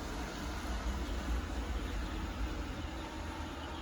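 Steady, even whirring hum with a low brush rumble and no knocks or grinding; the robot vacuum is running normally.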